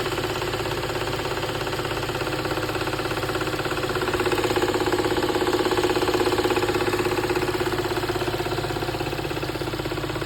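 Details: VW Golf Mk7 GTI at idle with the A/C on: a light, even tick about three times a second over the engine hum. It appears with the A/C running; the cause is not pinned down.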